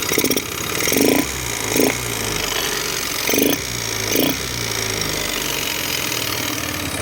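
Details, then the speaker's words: Yamaha Mio 125 scooter with a worn engine, hard to start, weak kick compression and fumes venting from the exhaust and breather: idle surges and sags unevenly every second or so. Worn engine with unstable idle. "เดี๋ยวผมสตาร์ทเครื่องให้ดูนะครับผมรอบเดินเบาไม่นิ่งนะครับผมอาการของเครื่องรวมนี่นะครับ"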